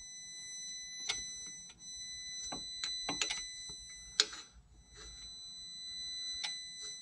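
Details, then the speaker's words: International MaxxForce intake throttle valve on a key-on engine-off test (SPN 3464 FMI 0, code 1288): faint electric humming with irregular clicks as the sticking valve struggles to move. "So you hear that humming. That's that trying to move. You hear it clicking."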